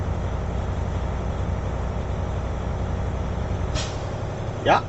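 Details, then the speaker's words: Air brake inspection on an idling truck: governor cutout check, expected at 122–135 psi, with the air dryer's purge "sneeze" confirming cutout. Steady idle rumble, then a sharp hissing burst as the dryer purges; normal. "We check our governor cutout. It has to be 122, 135 psi. And we will hear that sneeze from our air dryer. To confirm that, our governor cuts out the supply."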